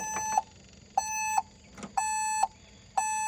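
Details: LS MR232 HST tractor will not start: a steady high beep, about half a second on once a second, with no cranking; the shuttle-not-in-neutral warning blocks the start, alongside parking-brake prompts.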